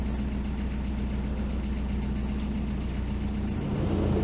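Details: Toyota prerunner truck, bought non-running, idling after ground straps were added between body, motor and frame: a low, steady rumble with an even beat and no misses or stumbles, rising slightly at the end. It runs smoothly.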